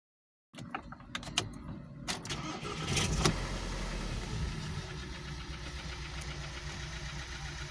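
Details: 2012 VW Passat CC 2.0 TSI (EA888 gen 1, CCT), 189,000 km, oil changed only every 10,000 km, cold engine, fresh oil at top mark: cranks, catches, then a sharp tapping of three to four a second over the idle, unchanged; piston knock.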